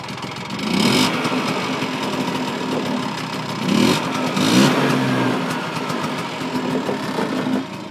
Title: Vespa primavera 125cc standard engine rebuild first start